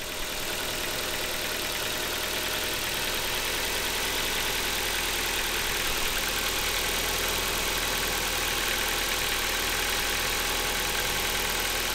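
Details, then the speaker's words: 2010 Ford Focus 1.6 100 hp petrol engine on a cold morning start, idling with a fast, light metallic ticking ("taca taca") over the running sound: hydraulic valve lifter noise. "o así eso que suena taca taca taca taca taca son los taques que quizás se llaman taca es por eso porque hacen taca taca taca"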